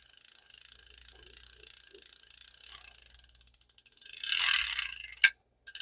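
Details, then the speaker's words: 1966 Shakespeare 2052 "Royal Maroon" fishing reel cranked by hand: steady clicking with faint recurring knock each turn; owner believes it's a bearing (1/4 in ID, 5/8 OD, 3/16 thick) and expects it to improve. "You hear it? I believe it's a bearing. It'll get better."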